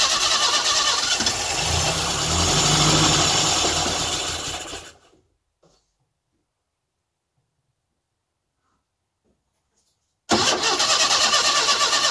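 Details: Classic Mini engine's first start after tappets readjusted and timing corrected, with fuel and spark present and compression spot on; brisk even cranking catches and fires, pauses, then runs steadily. Little fuel in the carb, so it won't run long.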